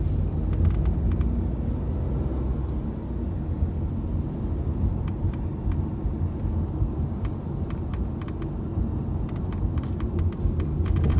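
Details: Tata Nexon driving on a smooth road: low steady road rumble with light, irregular high ticks and rattles coming and going overhead; loose sunroof rattling.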